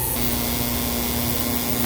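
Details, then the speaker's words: Glycol beer-line chiller pump after switching over, not overamping: steady motor hum with rough uneven rattle that wouldn't quiet down; packing foam left inside the pump rattling. "I don't know why it's making that rattling sound. Something's wrong there."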